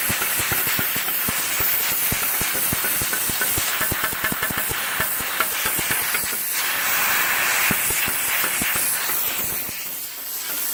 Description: CUT50 seems to arc and melt metal and consumables rather than cut cleanly.